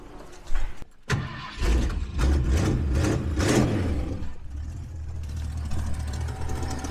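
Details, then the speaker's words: 1968 Ford Ranchero, long off the road, cold start on a chilly fall morning: slow cranking over several tries, then catches and revs with a raspy puffing exhaust note rising with throttle; cold-blooded, exhaust donut gasket leaking badly. "It has it's like the exhaust donut's leaking pretty bad. She's a little cold-blooded. But it started."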